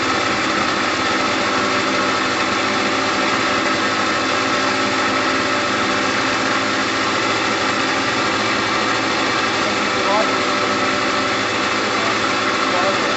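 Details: Gilera DNA 125 two-stroke idling evenly with a buzzy, unwavering note after a new fuel line and filter; petrol heavily premixed with two-stroke oil, red in colour; engine had been sitting a while. Normal idle.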